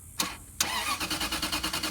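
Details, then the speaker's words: 2005 Range Rover HSE stretch limousine with a no-crank fault (lights on, nothing from the key): starter relay turned over, giving two sharp clicks, then the starter turning the engine over in even pulses without catching. "So, I'm going to turn the relay over and and as you hear the car tries to crank."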